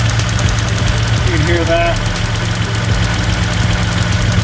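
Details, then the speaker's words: Toyota pickup with swapped 3.4L V6 at idle: steady idle with a fast, slightly uneven tick about four per second from one vacuum switching valve (VSV) clicking loudly, quieter when revved; plumbing to be checked, cause unknown. "all right guys this thing's running pretty good but my one of my vsv's is clicking really"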